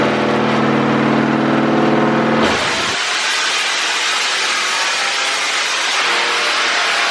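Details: 6.0L LS-swapped Willys Jeep with LS cam and heads on the dyno with HP Tuners custom tune; pitch changes above 5800 rpm regardless of tune. Engine howls up through revs, then note suddenly breaks flat into a rushing noise; valve float at high rpm.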